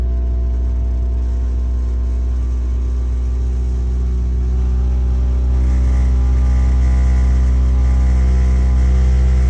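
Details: Five-year-old Worcester Bosch 30i ErP gas boiler firing: deep, loud pulsing roar the customer called banging, caused by the air intake silencer at the back being left off.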